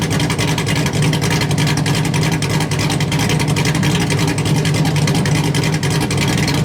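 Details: LS1-swapped Hyundai Genesis Coupe, HCI-cammed refreshed engine, first start on a base tune through short exhaust: loud, lumpy V8 rumble firing steady and deep, no knocks or misses; normal running, though a temperature issue noted.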